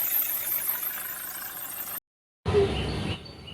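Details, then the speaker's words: Mahindra Xylo diesel idling with belt squeal: high, thin squeal persists after the first belt and adjuster are removed. "நண்பா அப்படியே வந்து அப்படியே sound வரதான் செயுது. அது எதுலன்னு நம்ம பார்கலாம். சவுண்ட் வரதான் செய்யுது."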